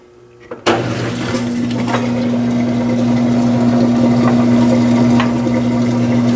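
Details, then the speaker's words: Old washing machine run on warm/cold: the timer is heard and the motor holds a steady hum with a thin tone on top, but no rising drum swish; the drum doesn't spin, transmission suspected broken, not confirmed. "Oh wow, it doesn't even spin."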